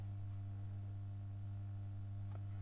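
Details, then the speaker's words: Marshall AS50R acoustic guitar amp, dead on arrival, powered through a bulb limiter at 48 V: loud steady low mains hum with faint overtones as the bulbs glow bright and take the current; output IC package suspected shorted on all pins. "And I if I well the fuse would blow before uh so I think that package is blown."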